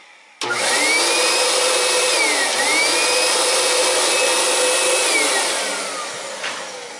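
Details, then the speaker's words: Kenmore HEPA vacuum found in garbage, brush bar turns freely: motor winds up to steady high roar with no brush-roll thrum; broken brush roll belt, likely rug caught. "sounds like we got another case of bad belt"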